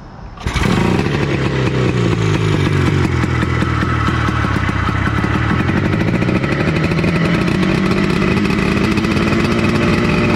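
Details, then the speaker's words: Honda FL250, 440cc two-stroke, not yet tuned up: starts quickly, then a loud, crackly, wavering and uneven clatter rather than crisp; runs, but badly needs tuning. "oh yes she definitely runs but man she needs a really good tuning um really good tuning"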